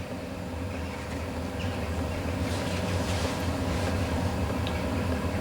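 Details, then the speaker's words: Chinese diesel heater running on 10W30 engine oil, second start attempt after a failed start: a steady low roar with a soft rumble building as the flame takes hold. It lit straight away and is burning normally, with some smoke. "fuel pumps back in for attempt two lit straight up I can hear it burning"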